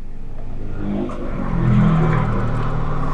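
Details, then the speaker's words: Used Suzuki Karimun Wagon idling as AC is switched on: idle lifts smoothly and settles with no shudder, knock or cabin vibration; engine and mounts in good condition. "Hai tidak ada tidak ada getaran setelah kita hidupkan AC Hai karena sebelum kita hidupkan AC juga dia sangat senyap di kabinnya Hai jadi kondisi peredam dan kondisi mesinnya kondisi mesinnya masih bagus"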